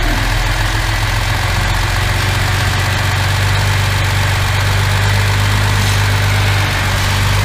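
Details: Mercedes W114 freshened engine, official first start: steady even low idle with smooth unbroken beat, no misses; running healthy with no smoke.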